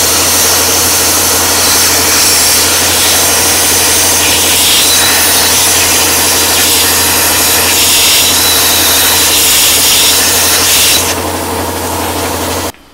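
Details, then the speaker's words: 40 A plasma cutter set to only 15 amps with air pressure lowered to 40 psi: a steady, even arc hiss for about eleven seconds, then tapering off; very slow but stable cut through thick metal. "i mean it's very very slow but it will cut it so there you go you see if you had to cut something this thick whether on 15 amps lower your air pressure"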